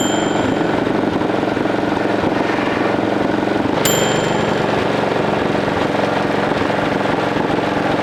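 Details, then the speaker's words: 1941 Caterpillar dozer, sat for years: pony motor cranking the main diesel, steady slightly uneven turning with scattered faint pops, never runs; they suspect insufficient fuel, maybe plugged fuel filters. "It's fueling some. Yeah, cuz it's popping. Are we getting enough? So, the main motor didn't start. No, it was just trying to."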